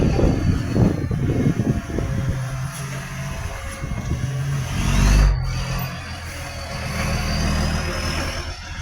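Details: Garbage truck with a massive exhaust leak making it very loud: raspy diesel roar with puffing pulses that swell as the truck pulls.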